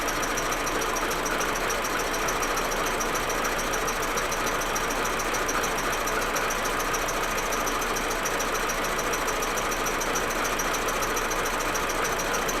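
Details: Audi A4 1.8T, cold engine: uneven idle with irregular stumbles about three per second over a busy hum, smooth once warm; plugs, coils, ignition amplifier and vacuum hoses already replaced; misfire cause unknown, injectors or carbon suspected.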